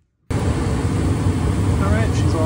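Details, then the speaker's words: Trane furnace after replacing a bad blower motor that caused loud buzzing/humming and burning smell, now heating: steady, even low rumble of air and blower with no rattles, squeals or knocks; normal furnace operation. "back up and running she's Heating and so we're good to go"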